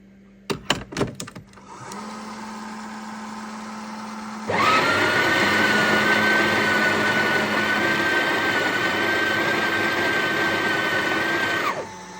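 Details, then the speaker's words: Breville Oracle Gen 3 BES980 in for slow grinding and error 30, at grind size 24 with the single basket: steady, even grind with a constant high whine and no labouring, much quicker. Normal grinding. "That's 10 seconds already. Much quicker. More than double the speed."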